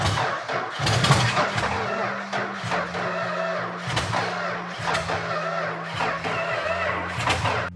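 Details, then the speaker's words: Petty Blue Plymouth Superbird V8, V-code car missing its original six-pack, unrun since the 1970s: uneven cranking churn with brief coughs that catch and fade, throttle held open while primed with poured fuel; not running yet. "sooner or later the starter's going to go out or the battery's going to go out"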